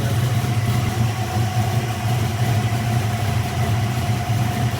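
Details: Built V8 with Terminator X fuel injection, previously fitted with new lifters, new cam and longer pushrods for a suspected lifter noise. Deep, steady rumble with an even idle and no ticking or knocking over it; the car runs fine.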